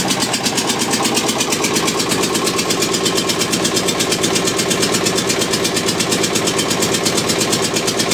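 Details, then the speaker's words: Witte single-cylinder diesel generator, first start after about 45 years sitting since the 1970s, after running all day: steady, even thump about twice a second with no misses or knocks; running sound before shutdown. "so pretty pleased with today's progress all right she's been running all day we're going to shut her down now"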